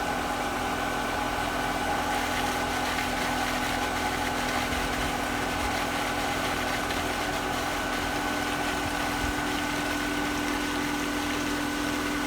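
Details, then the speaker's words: Pool pump motor set to quick clean after weekly service, now primed: constant smooth motor hum with steady tone and water rush, no grinding or squeal; normal running. "So right now it's running. See, it's starting to pull water, but if you listen to it, you can really hear when it fully primes."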